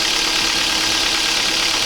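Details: 2007 Kia Ceed 1.6 petrol, 150,000 km, cold idle: steady light metallic rattle from the top of the engine that fades as it warms, with increased oil consumption; intake cam phaser suspected, later replaced, curing it.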